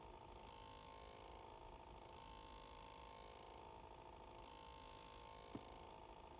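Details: 2019 Ford Escape after engine shut-off: quiet steady hum with a repeating hiss-like cycle about every two seconds; source of the humming unclear.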